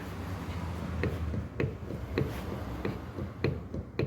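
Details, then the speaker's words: Fiat Argo suspension rocked by hand: sharp dry clicks about every 0.6 seconds from a worn front shock absorber. "Boa tarde, meu amigo. É amortecedor, sim."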